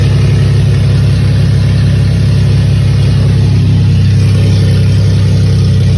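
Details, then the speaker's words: Pontiac Grand Prix at idle: deep, steady, even beat with no misses, knocks or ticks, running healthy on all six cylinders. "It's running healthy. Sounds good. He's hitting on all six."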